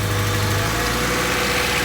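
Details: Honda Civic at idle: uneven, lumpy idle with a shaky low beat that never settles; rough idle, likely misfiring, possible spark causes such as plugs, wires, distributor, rotor.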